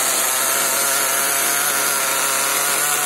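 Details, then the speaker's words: HPI Nitro MT with Nosram RS 18 Evo nitro engine during break-in, warmed with the engine heater and richened: constant high-pitched buzzing drone well above normal tickover, audibly leaning out as it warms, wheels starting to turn; high idle. "can see the idle's definitely a bit high, but you can actually hear it getting leaner as it warms up as well."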